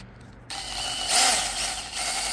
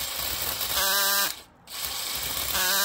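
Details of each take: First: New drill-driven chainsaw attachment after oiling the chain: bright even buzz and hiss, no squeal or grinding; oil quieted it down a lot, chain running freely. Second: Drill-driven chainsaw attachment pruning branches at slow drill speed: short drill-whine bursts bogging and stopping every couple of seconds; chain teeth jam because the underpowered drill lacks speed, pulling the user's hand toward the branch.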